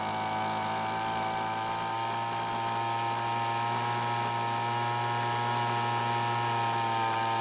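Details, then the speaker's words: Cheap small two-stroke leaf blower that wouldn't start, at full speed during H-screw tuning (turned to fastest, then backed off counterclockwise): steady high scream, even unbroken buzz, no misses; healthy full-throttle running. "now basically I carefully turned the screw until I found when the engine speed was the fastest but you cannot leave it that way instead you'll want to turn the screw counterclockwise a bit until the speed slows"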